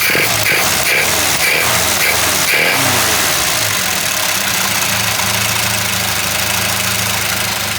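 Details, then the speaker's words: Old carbureted car with transverse leaf spring, after a small carburetor backfire from giving it gas: a few sharp ticks, then a steady, even low idle with no knocks or misses; nothing wrong found. "well there's nothing wrong there it's about the proper bees"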